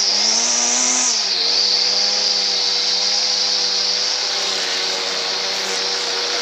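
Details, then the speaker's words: Stihl FS 38 trimmer engine, bought as non-runner, started with choke then half choke, low on fuel, fuel hose bubbling: high, steady buzzing whine settling slightly lower; runs fine, fuel hose to be replaced. "um so as you can see there's nothing wrong with that just wants a bit of a clean up and i will address that fuel hose and i'm happy with that"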